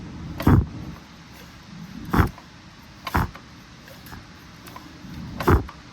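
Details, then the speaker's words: Briggs & Stratton 130G32 engine turned over slowly by hand after flywheel torqued on: whooshing puff about every second as air is pushed out and sucked back in; good compression. "You hear that? That kind of hissing noise. Well, that just shows how much suction we got in there. You can hear it pushing the air out and sucking it in."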